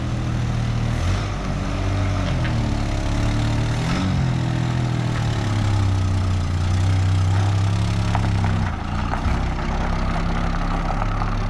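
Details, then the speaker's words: Abandoned Australian Ford Falcon ute driven in gear, heard from inside the cab with idle screw wound out: loud rough drone with uneven puffing, fluffing note from a bad exhaust leak. "Geez, you can even hear the exhaust leak in here, it's that bad. So you can hear it. It's fluffing."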